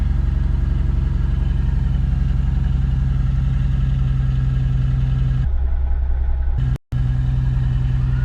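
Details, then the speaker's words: Freshly swapped V8 in a drift Z on first start, with thick oil and an oil pressure reading of 120 (sensor suspected bad): low uneven lumpy idle that never settles; rough idle, cause unknown. "maybe the oil being so thick i don't know it started it sounded a little rough it's a little rough though"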